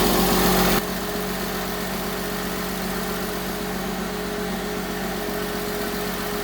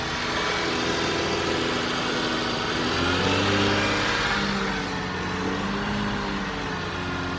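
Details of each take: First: 2005 Porsche 987 Boxster S, first start after a full M96 3.2L engine rebuild: steady idle with a thin, constant whine from the power steering pump, which is low on fluid. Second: 2005 Porsche 987 Boxster S, M96 3.2L just rebuilt, first start warming up: even idle picks up smoothly into clean revs and drops back steady; healthy.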